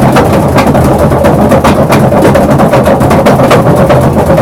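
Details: Maytag 3000 series washer: loud rapid banging about four knocks a second over a low drone, always sounded off but now pronounced; something knocking hard inside.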